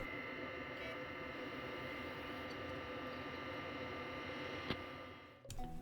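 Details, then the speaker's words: 2008 Xbox 360, previously loud fan noise, after cleaning and new thermal paste, reassembled and powered up: soft, even fan whir with no rattle or surging; normal fan operation. "now that it's reassembled we will power it up just to listen to those fans and as you can hear much improved and this sounds like normal operation"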